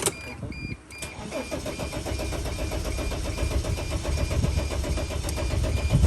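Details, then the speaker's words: 2006 Dodge Sprinter, crankshaft position sensor fault blamed, full fuel tank, shut off roadside to read codes: steady low rhythmic starter chug that never catches or gains speed. A fuel issue is also suspected. Crank no start. "I got the client's van, and I decided to shut it off over here just to see what kind of codes would come back, and this thing don't want to start back up."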